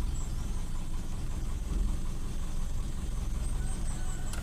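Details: Toyota Kijang Super, carbureted: low, steady rumble at an even idle, no misses, hunting or knocks; engine idling healthy at the right speed.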